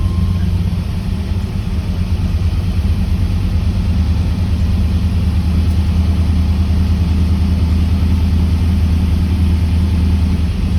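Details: 1979 Camaro Z28 with a McLeod Super Street Pro clutch, whose random squeaks with the pedal pressed were traced to a greased pilot bearing: smooth, steady low idle with no chatter, squeal or rattle from the clutch area; normal idle.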